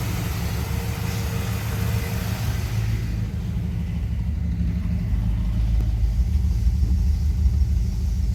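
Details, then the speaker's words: 1973 Dodge D100, hot, after tightening the exhaust manifold bolts: steady low idle rumble with no whine or groan from the pump; power steering pump sounds healthy. "Punk sounds good."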